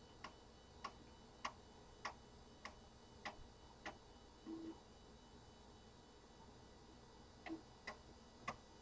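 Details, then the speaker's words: Compaq Deskpro floppy drive formatting a system disk: sharp regular clicks about every 0.6 seconds, a brief pause, then resuming; very loud but normal head stepping. "that drive is so noisy you guys hear that probably the loudest floppy Drive I own but it works that's the important thing"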